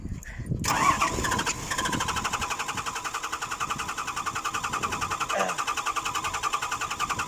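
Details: 6BG1 diesel engine: long, labored cranking with uneven beats near three and a half per second, struggling and slow to catch; hard starting.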